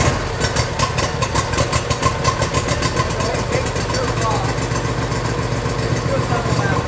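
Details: John Deere zero-turn Briggs engine, cooled down, after fitting a new carburetor modified with parts from the faulty old one; catches right away on choke and settles to a steady, even idle, no stumbling.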